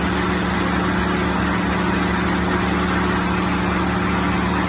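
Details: Cooling fans roaring steadily on high over the idling engine of a 2016 Ford F-150 5.0 with the A/C on full cold; high-side pressure is abnormally high and low side near 5 psi, owner suspects a blocked expansion valve.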